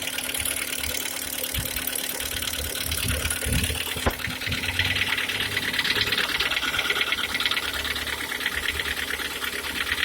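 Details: G4KD petrol engine, 102,000 km, steady idle: light metallic knock ticking about three times a second from inside the engine; cause unknown.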